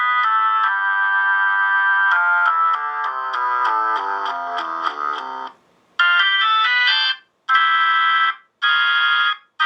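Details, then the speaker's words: Vintage Leslie V21 upper horn driver on a Leslie crossover and amplifier, played from a Hammond organ; organ chords clean and clear with crisp edges, no buzz or distortion; healthy speaker driver. "it sounds clear it sounds clean"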